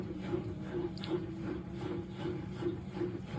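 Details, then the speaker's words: LG washing machine diagnostic self-test, test five: door latch locks, drum starts rotating and spins up toward maximum speed; quiet even swishing about two to three turns per second, no scraping or banging; normal drum spin. "the latch will lock and then the drum will start rotating. So there's the drum. It's going to start rotating and then get to a maximum spin speed."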